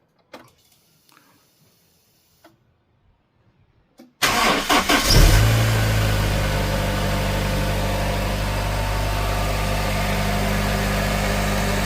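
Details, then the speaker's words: Honda H22A four-cylinder petrol engine after a valve clearance adjustment: a few clicks, a quick start, a brief flare, then a smooth even idle with no misfire. Earlier it had random misfires (P1399/P1300), a lazy start and a flashing engine light. "Alhamdulillah. So far so good. It's not misfiring."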